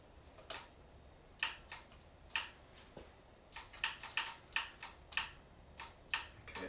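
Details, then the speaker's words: 1975 Honda GL1000 Goldwing, plugs out and fuel line off to check spark: sharp single clicks at each press, about fifteen in seven seconds, no cranking; rusty starter solenoid connections mean no power reaches the starter. "starter's clicking uh could be seized or the starter could be stuck"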